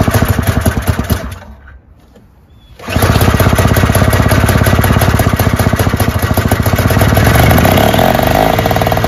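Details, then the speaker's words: Free Toro/Craftsman single-stage snowblower, pull-started first pull without priming: small engine buzzes steadily, briefly dies away, then holds an even busy beat; runs best of the three, though a slight leak at a nut gasket is suspected. "this one actually runs the best out of these three that's great"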